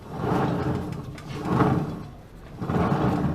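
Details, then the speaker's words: Dafra Citycom 300i scooter, rear wheel turned by hand: rough grinding swish about once per turn, wheel heavy; suspected worn transmission bearing rather than clutch, mechanic almost certain it is in the transmission. "eu tenho quase certeza que é na transmissão mas vamos montar aqui a você vê que é pra gente ter certeza que não é que na embreagem e sim na transmissão"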